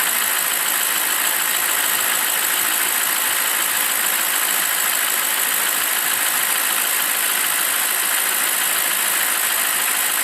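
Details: BMW 745i E65 engine after the cold-start ticking (at 2°C outside) has gone: steady, even idle with no ticking or knocking over a constant hiss; warmed-up engine running smoothly.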